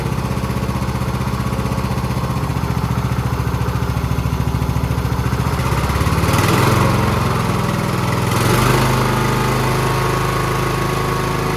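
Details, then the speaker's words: Husqvarna YTH20K46 mower with replacement 20hp Kohler Courage SV600 engine, first test run after swap, new air filter, gas and oil in it: even, steady low thump about three beats a second, picking up smoothly; runs pretty good, carburetor great, normal running. "And uh not sure yet if I'm going to keep it or sell it, but uh you can hear she's running pretty good. That carburetor is great."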